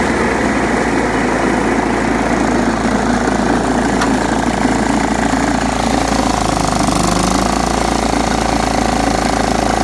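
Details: John Deere STX38 mower, parked about nine or ten years, revived with new battery and freed stuck carburetor float: steady busy run with mower deck noise, no stumbling or surging; running fine.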